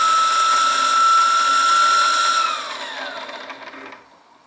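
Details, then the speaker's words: Wilesco T115 model steam turbine driving a motor shaft by belt, spinning down; high steady whistling whine slides down in pitch and fades over a couple of seconds, stopping faster from belt drag, stopped at about 27 PSI indicated; normal. "down a bit more quickly as you would expect with the drag from the belt."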